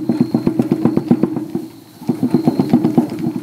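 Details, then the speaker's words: Trailer wheel rocked by hand: rapid hollow knocking in two bursts from loose wheel bearings with excessive play, found on both sides; owner plans to pull hubs and check the bearings for wear. "my wheel bearings are loose my next project is to be pull these wheels off pull the hub's off pull the bearings off clean them check them to make sure they're not war"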